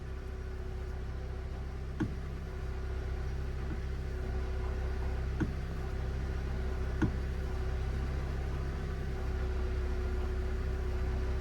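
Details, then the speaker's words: Ford Ka 1.2 at 73,000 miles, engine idling while the clutch pedal is pushed up and down: steady whirring drone with occasional light clunks, quiet when the pedal is held down. Worn clutch release bearing. "So that is because I'm pushing the clutch down, up and down, up and down. That's obviously the release bearing inside part of the clutch. It's making a complete racket."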